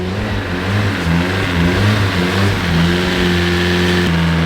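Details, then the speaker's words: Nissan S14 freshly swapped to a KA engine, after a timing adjustment, revved freely. Quick clean blips rising and falling evenly with no misses or knocks; judged to sound really good and right for a KA. Normal free revving. "It sounds sick. It sounds really good. She definitely a KA though."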